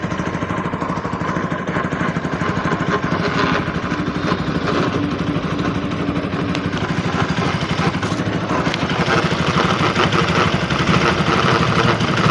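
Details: Bajaj RS 200 at idle: uneven clattery thrumming about two or three beats a second with no steady rhythm; abnormal engine noise, cause unclear.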